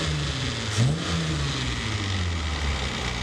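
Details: V6-swapped Toyota MR2 (1MZ) running steadily with a low even hum and a brief blip, after a head gasket replacement and after fixing a massive vacuum leak from a throttle body gasket installed 90 degrees out.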